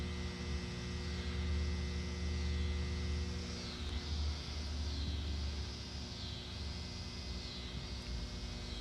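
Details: Constant low steady-pitched droning hum from an electrical utility box in the woods, typical of a buzzing transformer; cause unknown.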